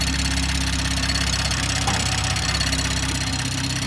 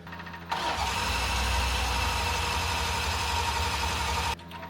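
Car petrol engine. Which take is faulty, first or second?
second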